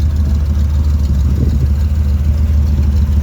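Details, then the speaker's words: Chevelle V8 that sat for years, just restarted after fresh fuel, new spark plugs, water in the cooling system and a borrowed battery; exhaust cutout open. Deep steady burble, even low rumble, no misses or knocks; running pretty good. Normal idle. "Alright, let's let it run for a little bit. Yeah, running pretty good."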